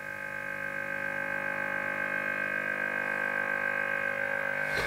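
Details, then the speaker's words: Lafayette HE-40 AC/DC tube amateur receiver (about 1963), at power-up before the hum fix. A steady low buzzing hum holds as the set warms up: 50 Hz mains hum. "okay so as you can see we've got mains home now because i'm used to working on radios and stuff like that i can tell by the tone of that interference that's 50 hertz that's the frequency is 50 hertz so that's the incoming mains"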